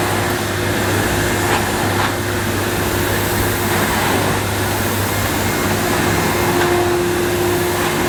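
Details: 1998 Hoover Alpina Filtra C 1500 (model SC 231011) cylinder vacuum with electronic speed control and carbon filter, on carpet at about two-thirds power on the carpet setting; smooth, unwavering suction hum with a faint whistle and soft nozzle bumps. Normal operation.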